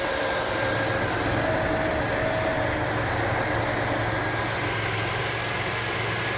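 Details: 2006 Jeep Liberty 3.7L V6 after alternator replacement and belt reinstall: a smooth, even idle with a steady low hum and no grinding, squeal or rattle from the belt side. The earlier noise is gone, normal idle.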